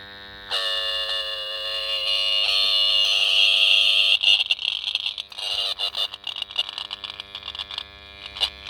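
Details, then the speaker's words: 1978 Honda XL250 barn-find motorcycle imported from America: with ignition on, the horn gives a thin, high, wavering buzz that breaks into stuttering bursts instead of a firm blast, as if it is trying, with power seen dipping; weak buzzing horn, cause unconfirmed. "Well, what's the most annoying sound you can hear today is going to be this. It's trying. It's buzzing."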